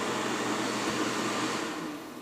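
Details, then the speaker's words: Soleil space heater, dropped, broken fan blade repaired: the cool-down fan gives a smooth even airy whoosh that eases off and fades as it shuts down once the heater is cool. Normal fan run-down. "probably once it gets to a certain point the fan will shut off and the whole thing would just shut off"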